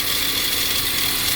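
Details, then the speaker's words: Jeep with new aftermarket alternator and battery, at idle: thin, constant high-pitched whine over steady idle, only 11 volts; alternator noisy, not charging, failed. "Where the hell is that noise? It's simple. That freaking junky ass alternator is shot."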